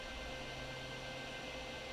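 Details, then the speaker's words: Chitu Systems FilaPartner E1 dual-zone filament dryer drying both boxes: steady loud airy rush with a faint whine near 2 kHz and no pulsing or rattle; normal fan noise but surprisingly loud, and only slightly less with one box. "After turning on the dryer, I was slightly surprised by how noisy it was."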